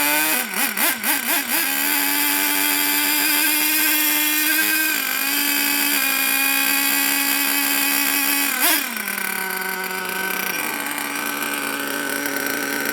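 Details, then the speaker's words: HPI Savage SS nitro RC engine after years in a shed, not yet warmed up and untuned, tick-over being set: buzzy high-pitched blips, then a steady tick-over that dips only slightly; idling fine. "I think that runs really w"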